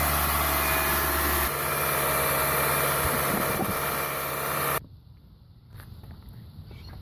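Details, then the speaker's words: Toyota 1ZZ engine at first start-up after owner's first rebuild, with new oil, coolant, transmission fluid, water pump, radiator and torque converter seal: smooth steady idle, even hum, no knocks or ticks, then goes quiet; sounds healthy. "far it sounds pretty good."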